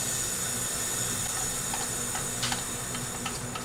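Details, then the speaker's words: Leak-down test on cylinder 4 of a 1977 Toyota SR5 pickup's 20R engine, sat 10 years, ran rough and lost coolant: steady airy hiss with light ticks, heavy leakage; rocker arm loose, rings suspected, likely dead cylinder. "Sounds like rings. Rocker arms are loose."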